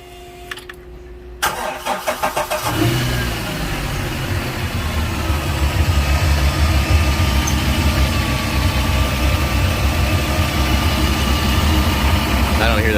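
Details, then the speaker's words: Volvo Penta 4.3 boat engine restarted after reconnecting a loose plug wire on the rear cylinder, whose misfire had caused knocking and ticking. It now cranks, catches and settles into a smooth, even run with no knock or tick. Normal running. "noise at all anymore sounds smooth too"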